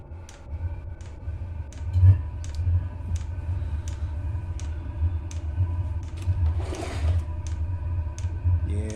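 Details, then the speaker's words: Chinese diesel air heater back to normal running on a motherboard borrowed from another heater, after an error code E-3 pointing to the glow plug turned out to be a faulty board: low steady fan rumble with crisp, evenly spaced fuel pump ticks. "that's that's going to be fine that's going to be fine there that's how it normally [Music] sounds yeah that's that's fine"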